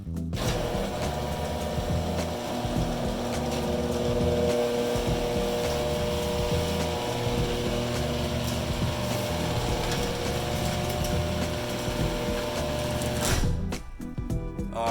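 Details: Genie Intellicode screw drive opener after lubricating screw rail with Lubriplate (loud grinding traced to stripped carriage): steady, even motor hum with smooth travel about thirteen seconds, stops cleanly, no grinding; normal operation.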